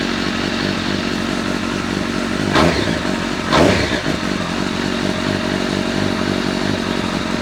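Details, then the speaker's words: Honda CBR1100XX Blackbird project bike's first start after an engine replacement: runs steady with two quick throttle blips that rise and settle cleanly, no knocks or misses; some smoke, owner thinks it is grease burning off; healthy running. "Oh my god, we have a running bike. Got a bit of smoke in places. I guess that's from the grease and whatnot."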